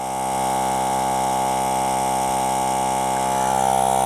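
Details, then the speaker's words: Portable tire inflator on a Hulkman Alpha 85S jump starter 12V port, two minutes in, tire to nearly 30 psi, pack 84% to 77%: steady even motor drone, constant pitch, no knocks or rattles; running smoothly. "so we're two minutes in and we're almost at 30 pounds so it added 20 pounds of pressure to that tire in about a little over two minutes"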